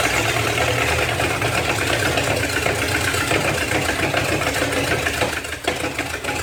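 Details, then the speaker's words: 1956 small-block 265 V8, bought non-running, running on bottle-fed fuel after timing adjustment: uneven, stumbling high idle with loose irregular firing under raspy exhaust; rough running, owner suspects spark plugs or wires, mechanically believed fine. "hard to feed it with a bottle to keep it running but um yeah hey it's still got it spark plug or wires or something but yeah at least mechanically we know it's going to be fine"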